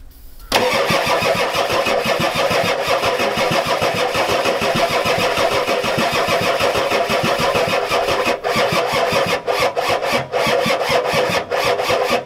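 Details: Ford F-250 XLT 7.3L IDI diesel, new injectors, glow plugs connected, new battery: a long, steady crank that never catches; owner suspects a weak injection pump not delivering fuel, shutoff solenoid untested.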